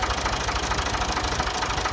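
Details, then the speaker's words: Ford 2000 tractor that sat unused a long time: easy start, then steady diesel idle with an even, quick patter and no misses or heavy knocks. Normal idle. "That was an easy start. I think we've got a good runner, a good engine."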